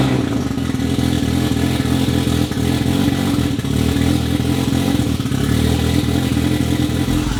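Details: Mazda RX-7 FD 13B rotary, half-bridge port, Turblown single turbo, wastegates not hooked up, just revived: busy buzzy burble with brief revs, pulses even, no knocking; smoking but sounds healthy.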